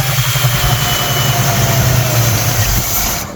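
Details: Neglected El Camino bought sight unseen, just started after stalling: low uneven idle with a steady airy hiss, then the engine dies; owner suspects a vacuum leak, not confirmed; hissing at idle.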